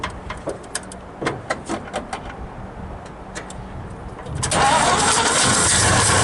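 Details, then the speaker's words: 1961 Studebaker Champ truck being revived: some clicks and clatter, then the engine catches and settles into a steady, even idle with no knocks or misses, idle may be set a little higher; normal idle. "I think I'll set that I go up a little bit but sounds like it's running pretty decent to me"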